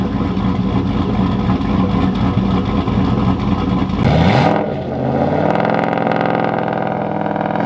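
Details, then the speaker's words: HX Holden one-tonner ute with LS V8 swap, first running and driving: deep raw rumbling revs swelling with throttle blips, far too loud with no muffler fitted; loud straight exhaust. "yeah you can adjust it but you can't you cannot adjust the turbo over the thumb slab yeah it's pretty rude still running and drives"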